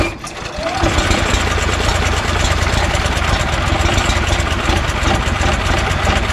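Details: Honda GX340 single-cylinder in EZGO Workhorse golf cart repower, restarted after testing relocated kill switch (switch shuts it off, key starts it): catches quickly, settles into steady even idle with smooth low thump, no knocks or misses. Normal idle.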